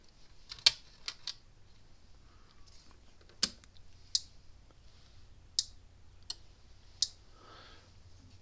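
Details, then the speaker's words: Gallagher Power Plus S50 solar electric fence charger on a 13 V bench supply after a broken-switch fix: sharp, loud snaps about once a second over a faint hum; output good but pulse abnormally loud, pointing to an aging, failing transformer. "Okay, it's putting out good, but hear that loud snapping sound? These usually aren't that loud. It's putting out right, but it's loud."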